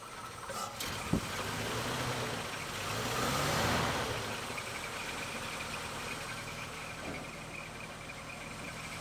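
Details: 1947 Chrysler New Yorker coupe, original straight-eight with Fluid Drive, after frame-off restoration and electric fuel pump priming: settles into a smooth, even idle right after starting, no knocks or misses; sounds healthy.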